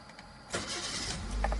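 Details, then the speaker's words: Automatic-transmission car started in P with the brake pressed: a brief crank, then it catches cleanly into a steady idle. It will start only in P or N, not R; a normal start. "dia nyala. Tuh. Terus ke posisi R, kita matikan."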